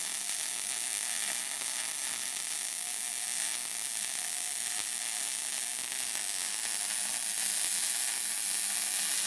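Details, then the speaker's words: Beginner MIG welding on a car's tube front: even, unbroken hiss and crackle without pops or gaps, a steady MIG bead, better than the previous attempt, a little goobery at the end. "Sounded good. Better than the last Sounded good. one. A little goobery at the end"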